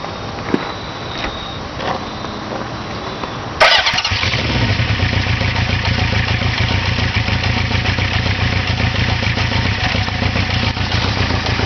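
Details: Engine settles after starting into a loud idle with a rough, uneven pulsing thump; abnormal idle noise, cause not yet clear.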